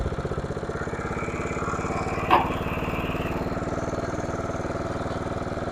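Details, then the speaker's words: Simplicity rear-engine lawnmower revived after sitting 32 years, shifted into reverse then forward: engine runs steadily with an even beat, one brief clunk as the gear engages, then pulls smoothly. Normal running in gear. "And it's got forward. I do believe that we got a working unit here."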